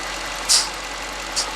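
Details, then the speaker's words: 2018 Mercedes-Benz S63 AMG, 95,000 km, idling with oil filler cap open: hard airy whistle-like suction hiss as the intake pulls crankcase vacuum through a torn crankcase oil separator diaphragm; separator replacement is the fix. "이건 지금 세퍼레이터라는 부품의 문제예요. 뭐 BMW며 벤츠며 아우디며 이 세퍼레이터 문제가 많은데 소리 한번 들어보시죠. 휘 휘파람 소리 비슷하게 나거든요."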